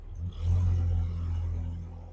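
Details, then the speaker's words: 1999 Mazda B2500 pickup after replacing exhaust clamp to fix leak: deep even exhaust rumble rising in gear, no puffing or ticking; no longer leaking out passenger side, sounds much better. "Yeah, it does sound a little better, yeah. It sounds a lot better. Yeah. It's not all farting out the passenger side here."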